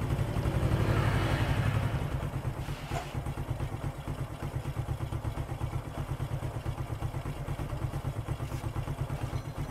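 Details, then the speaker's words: Four-stroke motorcycle still using too much fuel after a carburetor service, after valve clearance and idle air screw adjustment: steady thumping idle about three beats a second, even, no valve tick; back to normal. "Nah sudah selesai ini dipastikan sudah kembali normal"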